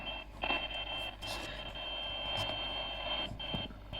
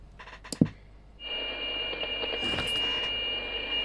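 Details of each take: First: CB radio on 27.615 with intermittent receive, before repair: a steady tone with hiss keeps dropping out and returning at random; the antenna socket ground on the back of the SR-239 board is found unattached. Intermittent receive from a loose antenna ground. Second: CB radio on 27.615, received through the external speaker, after the faulty components were removed and bypassed to repair a break in the signal path: after a click, a steady clean hiss-tone with no dropouts. Intermittent receive fixed; reception normal.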